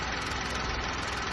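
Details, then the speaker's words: 2013 VW Polo 1.2 idling after timing chain, guides, tensioner and sprockets were replaced for fault code P0341 and startup chain noise: even steady idle, no rattle or slap from the front; the timing chain is quiet and healthy. "now we're going to start the vehicle and listen to the noise as you can hear no chain rather than start ups running perfectly fine"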